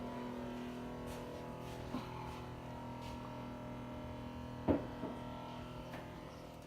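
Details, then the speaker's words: Samsung refrigerator, heard from the back: steady fan hum with loud clicking as evaporator fan blades on the fridge side strike ice buildup; fix by melting ice with a hairdryer. "there's a fan right here that's what the problem is the fan bleeds are hitting this ice buildup"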